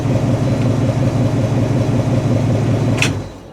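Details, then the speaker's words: '64 Ford stepside with fresh 302 V8 swapped in, temperature 160, oil pressure 50 psi, charging: smooth, even rumble holding steady with no ticks or knocks before fading out; healthy engine. "Sounds good when you sure you can hear that or not, but sounds pretty good."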